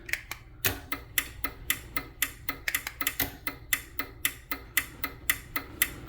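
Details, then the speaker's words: Chamberlain 3255M 1/2HP garage door opener, first run after repair with door closed: steady ticking clatter about two a second; drive gear set to travel the wrong direction; fix is removing top two gears and spinning to the other side. "Okay. So, it sounds like it needs to go to the opposite direction."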